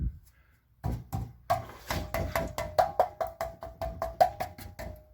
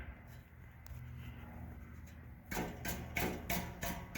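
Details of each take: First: 2012 Chevy Cruze, 12 years old: tapping the rear muffler gives solid, clean knocks that die out quickly with no buzz or loose rattle; muffler good, no leaks, no rattles, catalytic converter also solid. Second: 2012 Chevy Cruze: hand taps on the muffler, about three per second, each leave a tinny rattle; a baffle inside has broken loose at this end but not farther up. Catalytic converter taps solid.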